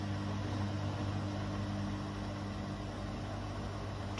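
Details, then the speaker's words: Bosch Serie 4 washing machine, 4 months old, 30-minute quick wash, fairly fast (not full 1400) spin after first drain, a couple of feet away; low steady hum, tiny bit of vibration, no knocking. "so and if i quiet it yeah there's a tiny bit of vibration but not a lot"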